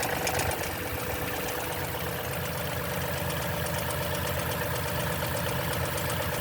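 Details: 2010 Toyota Tundra, 165k miles, 5,500-mile oil changes: cold start idle with fast, light metallic ticking over the engine; suspected timing chain rattle, unconfirmed.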